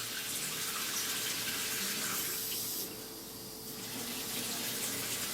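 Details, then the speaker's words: Mixer tap after replacing the worn cartridge valve (kran-buksa), whose worn rubber had made the tap sing and hum: a steady, even hiss of water with no singing or humming tone; normal quiet flow after repair. "всё А душ откроет нормально идёт не в кран боксе было всё дело"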